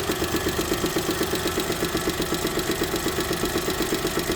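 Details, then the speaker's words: 2008 Daewoo Matiz engine, warm idle: crisp, even tick about four per second that appears only as the engine warms and is absent cold. Valves adjusted without effect; no oil use or smoke, good pull; service called it normal. Cause unknown. "Мужики, что это за звук? Тук-тук-туктуктук. Или так движок работает на матизе 08."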